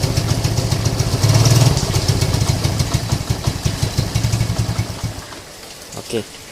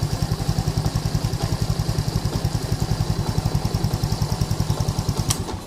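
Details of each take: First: Lagenda 115 fuel-injected single, warmed up: chugs unevenly, loping and stumbling, weak timing, then fades and dies after five seconds; hot misfire and stalling, no spark, blamed on failing pulser coil and weak flywheel magnet. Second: Lagenda 115 fuel-injected motorcycle that used to sputter and stall when hot, after two faulty parts were replaced. Quick, even single-cylinder beat runs steadily without cutting out. Normal running after repair.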